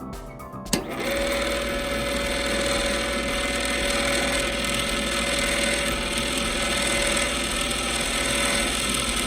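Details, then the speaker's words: Popcorn machine stirrer gearbox and motor, after cleaning gears and relubricating with gear oil or lithium, runs with a steady, even hum and no grinding; previously slow, grinding and struggling. "pretty good previously to me cleaning this up it did sound a little grindy um probably in the struggle with the motor and the gears"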